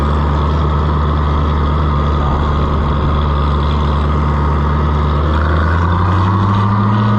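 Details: Oliver 1650 tractor that intermittently won't run at its owner's place: smooth steady low rumble with even beat lifting slightly near the end, no misses or knocks; runs healthy here, cause still unknown.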